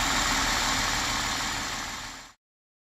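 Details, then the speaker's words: 2003 Chrysler Sebring 2.7 V6 idling after a used-engine swap, timing chain and set replaced, reassembled; steady even idle with airy hiss, no knocks or misses. Earlier no-start blamed on a very dead battery. Running good now. "back together it's running good now"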